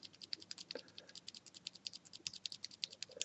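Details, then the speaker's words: Cherry MX Silent keyswitch: sharp irregular high ticks on each press in a quiet room; ticking lessens when switch housing is pressed together, owner suspects top and bottom housing not firmly joined. "ticking is less when I press together on the switch like so"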